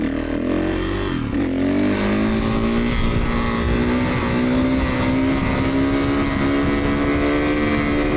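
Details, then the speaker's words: 2017 Kawasaki KX450F single-cylinder dirt bike after no-start repair (customer suspected lost compression; reported bog or hesitation on acceleration): revs climb smoothly with no stumble or flat spot, pulls strongly like a 450 should; healthy under acceleration. "Well, she's running absolutely perfect. Customers worried about a little bit of a bog or hesitation on acceleration and I don't have anything on this thing. It just pulls like a brake frame like a 450 should."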